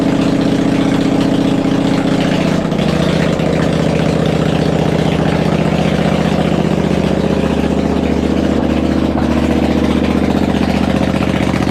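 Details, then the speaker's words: V-twin engine on a homemade machine, running open with no muffler: loud, steady, even thump at idle with no misses or knocks; healthy engine. "And the engine runs. It desperately needs a muffler cuz we're just running open right now, but it sounds great."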